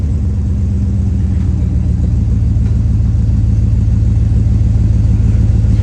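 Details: Healthy deep, steady idle rumble with even low exhaust pulse, no rattles, blowing or leaks on a 1999 Dodge Durango just after the worn-out muffler was cut out and replaced with a new glass pack muffler.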